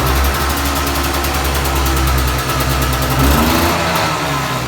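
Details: Two-stroke, about 200 km ridden and not fully run-in yet: steady, even idle with a smooth unbroken beat, no knock or rattle; engine sounds healthy.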